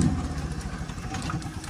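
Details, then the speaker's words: Massey Ferguson 290 diesel tractor with air drawn into the fuel lines: the battery was recharged, and steady, uneven starter churning never catches; cranks but won't start, so the injectors need bleeding. "If I come over and show you what's happening, when I start the engine, right, nothing, yeah. I've run the battery flat already, so I've had to go back and charge it at the garage."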